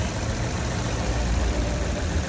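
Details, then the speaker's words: Chevrolet Cruze LTZ 2012 after engine rebuild with new pistons, low even idle hum with no knocking or shaking, unlike the rough shaking idle before the repair; runs smooth. "anh em thấy máy êm chưa không hề rung lắc như ngày hôm qua"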